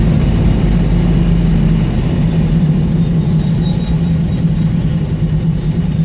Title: Got a exhaust leak but the bitch perform